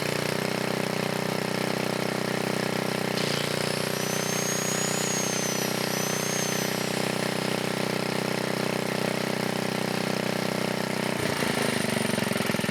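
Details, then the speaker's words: 1980 Montgomery Wards 2200 W generator, Briggs & Stratton 5HP, after NOS block swap and carb rebuild, air breather off; single-cylinder engine holds even buzzing speed with steady governor: running smoothly and normally. "take the air breather also you can see the governor kicking in and everything so it's working right now"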